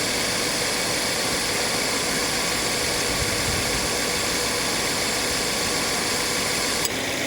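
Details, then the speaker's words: Subaru XV 2.0i after AC repair (compressor clutch set replaced, compressor oil changed, no leaks), idling: steady even hiss and hum, then clean soft drop as compressor clutch cuts out; normal AC compressor cycling. "พร้อมทำงานค่ะพร้อมตัดค่ะคอมแอร์ตัดต่อปกตินะคะ"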